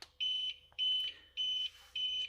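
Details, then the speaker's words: Used APC Back-UPS 500 converted to a 12 V to 220 V inverter with battery; short high-pitched beeps repeating, the warning that it is running on battery and should be shut down soon. "Ви під час запису чуєте постійно що він пищить цей писк роздається з інтервалом 41 секунда"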